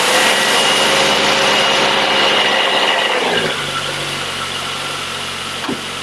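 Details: Triumph Herald 13/60 with freshly rebuilt Spitfire-spec engine, first start on choke: catches and runs loud, then drops to steadier quieter beat, firing on all cylinders; exhaust leak and rear head core plug water leak noted. Normal running.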